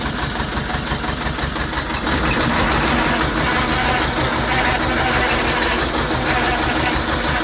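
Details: T-25 tractor diesel after repair: steady, even chugging at about three beats a second with no stray knocks; clean, healthy idle.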